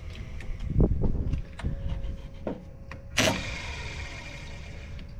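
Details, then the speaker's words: Caterpillar D8H bulldozer sat 15+ years: small starting engine cranks sluggishly with uneven chugs under faint electrical whine; slow cranking, cause suspected as jump pack or starter; starter later found rusty inside. "I think it like real slow it was doing that before I don't know if it's your jump pack or the starter contact"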